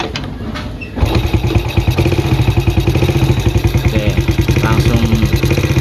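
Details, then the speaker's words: Yamaha Vega ZR revived after 3 years unused, with new aftermarket NPP carburetor at factory settings: catches after a second and settles into a steady, even single-cylinder idle with no misses; old carburetor was the fault. "normal ya. Paling tinggal kita setting gasnya aja."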